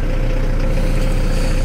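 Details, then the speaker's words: VW T4 diesel van after repairs, glow plug wire now connected, started on the key in heavy rain: steady, even diesel clatter with a smooth low rumble, no misses or knocks; healthy idle. "Absolutely starts on the key. Fire it up again, and it starts up on the key."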